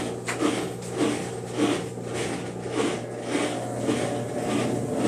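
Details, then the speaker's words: Brastemp Ative 11 kg washing machine during spin. Uneven swishing thumps roughly every half second over a steady motor hum as the drum struggles and is slow to spin: worn transmission (gearbox) fault. "Esse barulho, ela já tava, até pra centrifugar, ela demorava pra fazer esse barulho aí, demorava pra centrifugar."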